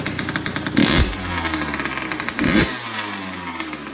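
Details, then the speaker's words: 2004 Kawasaki KX85 two-stroke after a top end rebuild, smoking; two sharp throttle blips over a crackly idle, raspy exhaust, revs lingering before falling back. Owner suspects the shorty pipe and muffler packing, not confirmed. Raspy exhaust note. "I also think the raspiness is because of the shorty pipe and needing muffler packing. And that's just how these things kind of sound, I think."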